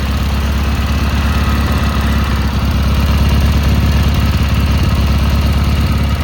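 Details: Cub Cadet Cyclops garden tractor Kohler 18 twin after repair of a badly blown head gasket (head replaced), started via M18 battery pack wired to the starter: steady, even chugging idle, regular firing, no misses, knocks or hiss; running healthy.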